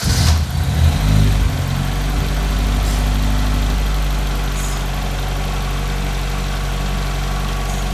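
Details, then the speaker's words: Barn-find Ford RS Cosworth petrol engine just started, still cold, after a new cam belt and water pump. It settles into a smooth, even idle with no tapping or hunting. "how much nicer does that sound now you've got no tapping at all and there's no hunting or messing around with it"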